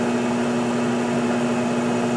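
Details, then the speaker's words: Harbor Freight lathe converted to a treadmill motor with variable speed and reverse, motor at 66.2 degrees, around 700 rpm: steady fairly quiet hum, constant mid tone, even hiss, no knocks or rubbing; quieter than before. "relatively quiet certainly quieter than it was before"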